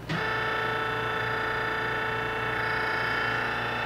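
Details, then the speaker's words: Giddings & Lewis Winslowmatic model HC drill point grinder, 1996, wired 460 V, 12-inch wheel, running a grinding cycle: steady motor hum with a clean, even wheel whine; runs smoothly. "would be rotating your drill against the wheel and then this is the infeed it has an adjustable stop"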